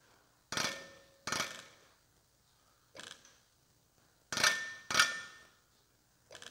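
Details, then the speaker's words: Aftermarket Bareco B16 Perkins diesel injector for an MF135 tractor on a hand-lever pop tester at about 2,800 PSI, with no nozzle leakage and a nice spray pattern: short sharp chirps with each lever stroke, the fuel atomizing properly, which is what you want. "and can you hear that chirping that that chirp just going slow that's the fuel atomizing that's what you're looking for"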